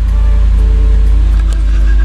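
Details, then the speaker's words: 1999 Land Rover Discovery that sat for years, now running after a matched ECU/BCU swap and a dead battery was charged: deep, steady low rumble with no misses or knocks; some warning lights still blinking. "you believe that after all this time this thing's actually running it's not without his problems"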